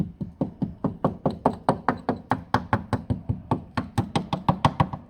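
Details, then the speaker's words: Toyota Auris SR180 sill tapped gently with small hammer underneath: dull, dead taps, about four a second, no ring, sounds tender; sill rotted through and packed with rust, needs welding for MOT. "She's obviously gone there. Sounds all tender on here."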